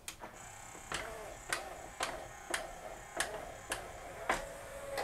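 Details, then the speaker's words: Yamaha CDC-697 5-disc CD changer after all loading belts cleaned of migrating grease with acetone and reinstalled: small motor hums steadily under light clicks about every half second, tray closes without stalling even when held back; works great. "all the belts are cleaned and reinstalled [Applause] all right works great"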